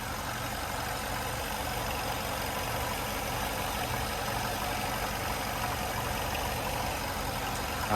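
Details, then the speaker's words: 2011 Chevrolet Malibu LS sedan, heard in the engine compartment with the hood open: steady, even idle with a smooth low hum and no knocks, ticks, misses, odd noises or vibrations; clean engine with no oil leaks. Normal idle. "so as you can tell very smooth running engine um and very clean as well there's no oil leaks or anything like that"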